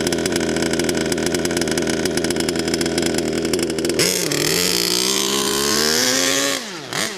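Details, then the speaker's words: HPI Savage Octane RC truck, warmed up: buzzy idle then a thin, wavering high note that sags above half throttle as if out of fuel; lean high-end mixture, being richened. "Interesting, because what it's doing is it's sounding like it's running out of fuel when you give it more than half a throttle."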